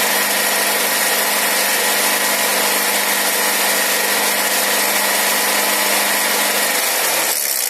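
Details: Nissan X-Trail MR20 petrol engine at steady idle with a faint, uneven tapping over the hum; knock in the engine, source not pinned down.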